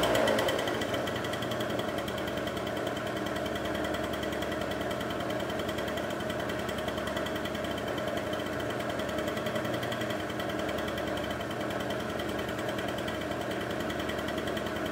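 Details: Two-stroke scooter after carburetor idle screw adjusted in step by step: fast, even buzz holding a steady note with no hunting or stalling; idle set right and running clean. Normal idle.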